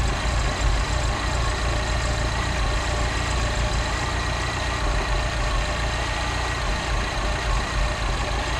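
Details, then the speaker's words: Mini R56 replacement engine, first start after sitting for an unknown time, service not yet done: uneven, lumpy idle with irregular low rumble and wavering beat; runs rough, cause not yet pinned down. "Well, how about that? It works. Obviously it's not running great because I don't know how long this engine's been sitting."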